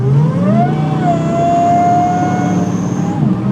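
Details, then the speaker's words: 1975 Corvette with a blower, floored and feeling slow: a high squeal climbs with revs, then holds steady over the engine roar. Owner suspects a slipping blower belt or tensioner and low boost; not confirmed. "it does sound like the belt's squeaking. So maybe it could use a belt or a tensioner or something."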